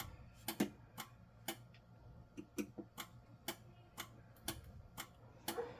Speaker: then you walk up here and you listen to the relay clicking you you can hear it's clicking that means that the system's an alarm